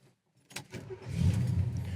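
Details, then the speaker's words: 1970 Chevrolet El Camino SS, 454 four-barrel V8, normal start: quick crank, the big V8 fires right up at once and settles into a deep, even rumble as it revs; sounds great, healthy start. "the key, it fires right up. Sounds great."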